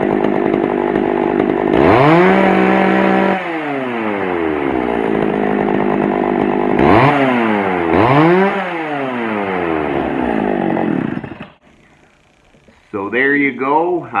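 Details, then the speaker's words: Pioneer P41 chainsaw after carburetor cleaning and adjustment: climbs cleanly to steady high scream, drops back and revs crisply; starts easily, running well. "but it sounds good and it starts up really really easy so i think that's going to be good saw for someone"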